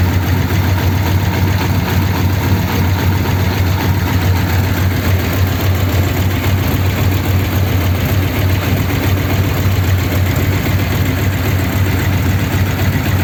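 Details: 1932 Ford sedan idling after a fix for a problem on the way home from the Old Ford Rally, with roughly a litre refilled, started to check for leaks: steady, even low rumble, no knocks, misses or surging; healthy idle, looks all right.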